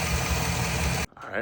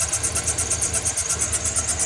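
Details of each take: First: 2007 Chevy Silverado V8 after lifter replacement: about a second of steady, even idle with no tick or miss before it cuts off; normal idle. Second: 2007 Chevy Silverado V8 at idle, also belt tensioner noise: fast, even ticking over a slightly uneven idle; collapsed lifter on cylinder six (maybe also eight) not opening the intake valve, causing constant misfire.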